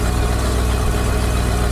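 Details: Old auction dump truck with carburetor that still needs work, RPM gauge broken; deep steady idle, even low rumble, no knocks or misses; normal idle.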